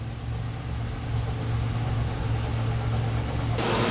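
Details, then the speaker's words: Carrier central AC outdoor unit after replacing the run/start capacitor (previously only made a noise for a second, fan did not spin): steady low compressor hum with even fan rush, no clicking or straining; starts and runs normally. "Well, here it is. It's fired up."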